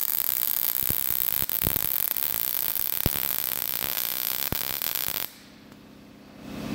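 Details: Everlast PowerMTS 221 STi MIG welding at 20 volts with wire feed raised toward 350: steady frying hiss with occasional sharp pops until the arc stops; settings near correct.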